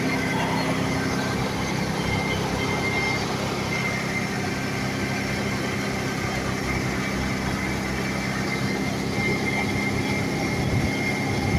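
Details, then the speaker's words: 1995 Ford F-150 4.9 L inline-six with emissions equipment removed, started after the battery was reconnected: steady, even drone with no misses or knocks; the six runs smoothly. "now since it doesn't have the emission stuff it's going to start like a carburated"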